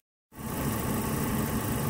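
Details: Toyota Prado after alternator fault, belt found extremely loose, idle with headlights on as load: steady smooth rumble, no belt squeal; now charging at good voltage, running normally.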